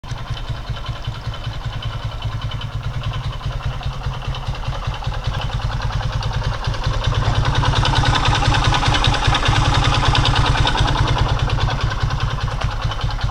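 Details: Skaymoto Pegas 110 motorcycle, 13,000 km: steady idle with a regular light knock about two and a half per second, louder as revs rise; connecting rod knock.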